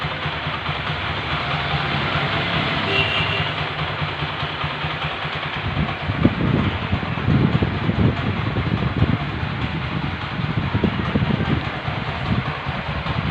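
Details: TVS Apache 4V single-cylinder motorcycle after tappet (valve clearance) adjustment for tappet noise: even idle with a steady beat and a few light throttle blips; no valve tapping, normal idle.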